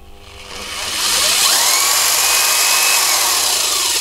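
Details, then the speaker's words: Corded mains-powered impact wrench with speed controller, running free: motor winds up over about a second to a high, steady whine that holds cleanly, with strong torque kick. Normal running. "that certainly seems like it's got some bloody juice behind it I can feel the whole thing there's a point where it talks and you can see it kicking my hands"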